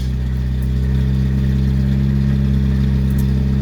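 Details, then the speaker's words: 1974 Honda Civic Mk1, just started on choke after fuel pump began building pressure, new spark plugs fitted: even, steady low idle with no misses or stumbles, running much smoother than before; normal idle. "it's running a lot smoother than the last time you heard it sounds really good"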